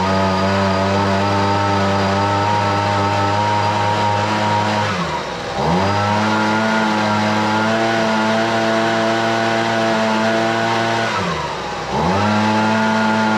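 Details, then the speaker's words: Husqvarna 125BV two-stroke leaf blower after carburetor repair for a no-prime fault: strong, steady high-pitched drone with two brief throttle dips that recover cleanly; runs best in a long time, though it could use slight adjustment. "all right well I'll be honest with you that's the best that saw or that saw that's the best that blower has rain in um quite some time sounds like it could use a little bit of adjustment but I'm not too worried about it"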